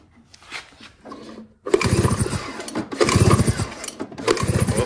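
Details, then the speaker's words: Snowmobile prepped for snow drag racing after fitting a JDI ignition, cranked to test for spark; three one-second bursts of even cranking with no firing because the kill switch was left off; spark fine once switched on. "sorry guys we forget the switch on"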